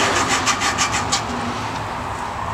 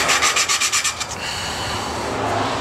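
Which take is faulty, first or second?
first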